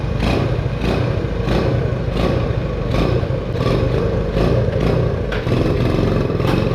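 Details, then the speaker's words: 1974 Honda Trail 90 (CT90), sitting since 1984, first run after revival with new battery and starting fluid, still in gear and idle set low, air filter off; steady single-cylinder putter with light clattery ticks and blips: normal running. "listen to that listen to that baby purr guys oh it's still in gear need to bump up the idle a little bit"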